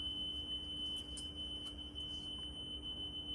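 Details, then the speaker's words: Restored Nakamichi DR-10 three-head dual-capstan cassette deck, pre-shipment check, playing a wow-and-flutter test tape: clean steady high tone without warble. Speed slightly fast after sitting, but wow and flutter is below 0.06 WRMS; normal playback. "right, it was sitting for quite time. I see it's a little bit too fast, but wow and flutter is super good. It's below 0.06."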